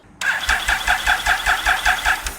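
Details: Motorcycle with 38,000 miles, new immobilizer fitted, dead battery, jump starter fed directly to starter: engine turns over steadily about five pulses a second but never catches; starter solenoid good, suspected ECU or other system fault, unconfirmed.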